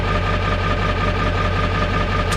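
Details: 1995 Ford F-350 XL Powerstroke diesel warming up after a cold start at about 50°F, still cold and shaking: even low clatter at idle with a faint steady whistle, no misses or knocks; runs good, healthy.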